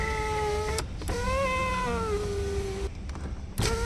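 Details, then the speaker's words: Car power window: strained whining motor note drifting in pitch as the glass travels, stopping and restarting; noise from bent glass run channel, fix by lubricating the run and refitting it under the door trim. "अगर ये आपका आवाज बंद नहीं हो रही तो उसके बाद आपको क्या करना है इसकी जो ट्रिम खोलेंगे"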